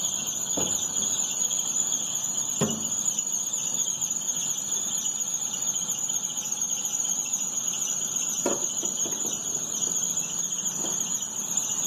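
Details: 2011 Astra with A/C on: steady high-pitched squeal over the engine persists after poly-V belt replacement; crankshaft pulley already checked, owner suspects the tensioner, not confirmed.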